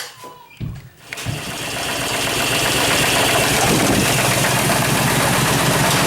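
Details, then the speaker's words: Chevrolet Suburban engine restarted after rocker and spark plug checks; the tap persists at idle, a quick light tick about four per second from one rocker near the exhaust valve, unchanged when plugs are pulled one at a time. Valvetrain tapping. "okay as you can hear that tap is still in there"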